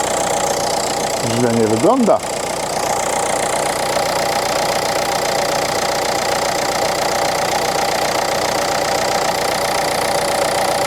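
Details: Renault Clio IV 1.5 dCi losing engine oil, check-engine light with a fuel injection warning, one injector slightly weaker on test: an uneven, clattery idle rattle over a noisy background; no oil on the dipstick, hence the loud running.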